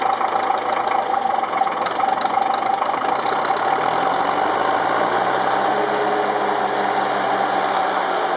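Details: Ferguson TEF-20 diesel tractor first run after full engine rebuild (pistons, liners, bearings, valves, springs, clutch, seals), injection pump re-timed after being 360° out: cranks then settles into a steady, even idle, no knock or miss; healthy.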